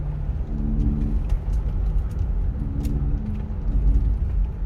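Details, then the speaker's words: Rear-wheel-drive Sorento turning right, with steering-wheel vibration and no noise turning left: low droning hum rising and fading in waves over road rumble; mechanic diagnoses worn hub bearing loaded as weight shifts. "막 우욱 소리가 나죠. 핸들까지 진동이 오면서 옵니다. 이것은 허브 베어링이에요."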